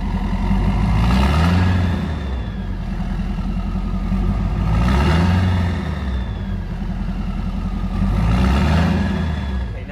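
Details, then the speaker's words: Ford 6.7 Powerstroke diesel revved three times: deep rumble swelling with each rev and almost no hair-dryer whistle on top; variable geometry turbo vanes stuck open. "now if your veins are stuck open it will be completely the opposite it'll be a low rumble like a with very little hair dryer sound very little whistle sound that means your veins are stuck"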